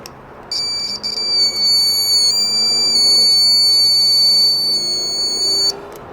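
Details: Test buzzer for Chinese multimeter continuity mode, connected via alligator clips: clean, steady high-pitched beep holding about five seconds without wavering; buzzer works fine.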